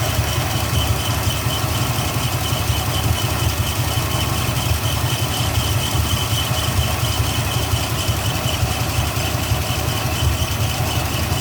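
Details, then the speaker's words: 1982 Ford F-150 carbureted engine at a steady, slightly lumpy low idle with an even throb and no knocks, started cold in winter; charging about 14 V, oil pressure about 50 psi; it still runs a bit rich and the carburetor needs adjusting. "I still need to tune the car barrier a little bit because when you started up it's still kind of like it's running a little bit rich so I need to adjust the carburetor again a little bit"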